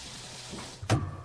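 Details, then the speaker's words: Household plumbing, mixer tap shut off: one sharp, heavy bang ringing briefly through the pipes as the flow stops too abruptly and pressure changes suddenly. Water hammer; fix is a professionally installed water hammer arrestor near sensitive fixtures. "ce bruit survient lorsque le débit d'eau est stoppé trop brutalement et que la pression change d'un coup."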